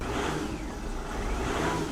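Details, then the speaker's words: Mercedes E350 diesel, after replacing the exhaust back pressure sensor (now reading 10.1–29 PSI) and getting out of limp mode; only an alternator fault remains. Revving with a rising airy whistle as the turbo spools up normally for once. "oh my God oh my God listen I can hear the turbo actually doing something for once no way right come on"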